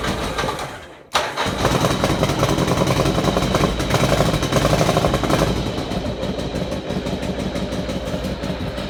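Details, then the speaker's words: Motorcycle after an oil change, part warm, no choke: catches after a short crank and settles into a steady, even idle with no misses or knocks; rides well and pulls strongly. "Somewhere in between hot and cold, but there you hear it ticking over nicely with no choke on it at all. As I say, rides really nicely, pulls strongly, and idles without any problems at all."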